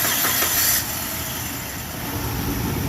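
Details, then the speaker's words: 2005 Suzuki Grand Vitara, the old starter before replacement. A continuous heavy cranking whirr with an uneven beat and no firing, turning the engine over slowly: slow cranking from the worn starter, cause suspected but not confirmed. "Okay, so that was a little slow."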